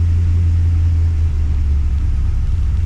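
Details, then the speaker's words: Holden VX SS Commodore with home-rebuilt 4L60E automatic, first test, in first gear at light throttle about 1500 rpm, wheels turning; steady low drone, no clunks, whine or grinding; transmission healthy. "so that's good and that is completely silent okay no major noises no issues"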